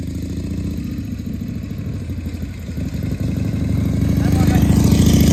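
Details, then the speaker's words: 1978 Harley-Davidson Shovelhead FXS Lowrider after cleaning the carburetor's accelerator pump and fine-tuning the carb, test ride in 1st–2nd gear: steady loping V-twin beat picking up smoothly as it pulls away, no misses; running pretty good. "So, very glad to see that it came back alive. Seems to be running pretty good."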